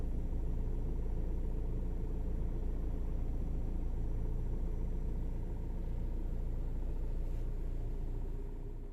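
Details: Scion xB idling right after filling the gas tank, without overfilling: low, uneven rumble with unsteady beat; rough idle, owner suspects EVAP purge valve, no EVAP code.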